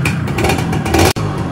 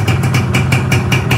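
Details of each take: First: Freshly reassembled Yamaha 125Z two-stroke, cylinder 25 oversize, first run being revved in bursts; earlier noise now gone, but a faint light rattle on the blips: slight piston noise. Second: Yamaha 125Z two-stroke at first run after reassembly: block 25 oversize, only cleaned with head, clutch housing rubber replaced, stock exhaust. Even idle pulsing about five times a second, slight piston noise since piston not replaced. Normal idle.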